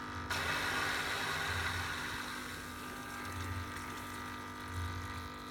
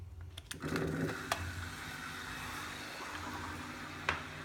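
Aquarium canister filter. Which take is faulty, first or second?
second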